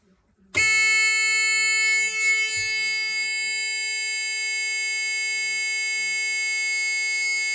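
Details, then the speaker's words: Ford Escort Mk2 rally car: steady high-pitched warning buzzer from the easy-shift gearshift controller at power-up, holding one pitch, because it was loaded with a BMW configuration file. "nothing a lot of noise right investigation right I had it on my I was on a file that was my BMW um programming for the easy shift on that"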